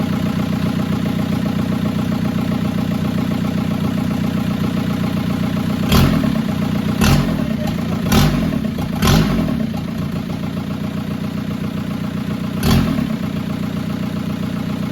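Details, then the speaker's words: VW GTI with a swapped 2.0 PD TDI diesel (2004 harnesses, turbo kit), first start: steady, even diesel idle clatter with a few sharper blips after catching; engine now running. "Oh, there you go. You got a running car now."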